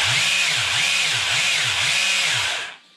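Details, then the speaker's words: Arrma Senton BLX 3S RC truck after cleaning and maintenance, brushless motor at 75% throttle limit: clean steady high whine at constant speed, cut off after under three seconds; motor spins freely, everything works correctly. "Hein, donc vous avez vu, hop, direction. Voilà, tout fonctionne correctement."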